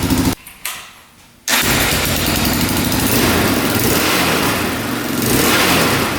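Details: 2004 Yamaha Raptor 660 single-cylinder quad, now shut off manually: fires after a short pause and revs out freely and smoothly with no bogging or cutting out; sounds a lot better, thought to be fixed.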